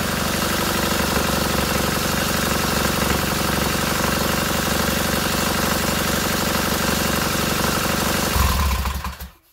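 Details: Freshly rebuilt K750 boxer-twin motorcycle engine after first start, ignition problem fixed: even, steady beat around four pulses a second, both cylinders firing cleanly and heating equally, then shut off; runs healthy.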